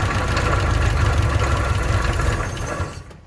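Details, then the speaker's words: Old car with an old carburetor, bowl filled by hand: lumpy, uneven low chugging for a few seconds, then fades and quits; owner says the bowl isn't taking fuel and the fuel pump isn't pumping, cause unconfirmed. "Yeah, it's not taking nothing. And that pump ain't pumping nothing."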